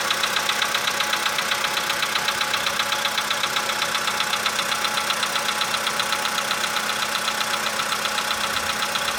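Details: 2015 VW Polo sedan, cold start, engine +5°C, outside −2.5°C: steady light ticking about 1.5 per second over idle, fading as it warms toward 20–45°C; suspected cold valve or hydraulic lifter, not confirmed.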